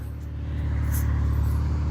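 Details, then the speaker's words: Mazda MX-3 with swapped KL 2.5L V6, Millenia intake and throttle body, after adjusting TPS, idle set screw and ignition timing: steady, even low hum, no misses or surging; idling about all right, healthy. "until you have your idle set correctly here we are we are idling about"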